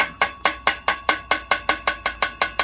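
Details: BMW N47 diesel Mini with engine out and gearbox removed, exposed clutch worked by hand: sharp metallic clicks about four or five a second with ringing tails, loose rattle; clutch very badly worn.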